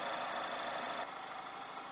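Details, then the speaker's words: ND Mazda MX-5 Miata idling after throttle body cleaning, slow first start from leftover cleaner: quiet even idle with faint steady hiss, no knocks, misses or hunting; sounds healthy. "All right, it started. Yeah, it had a little of that throttle body cleaner still in it, so it took a second to get through it. And fortunately it doesn't have a carburetor, so I can't rev it up from outside. But it sounds good to me."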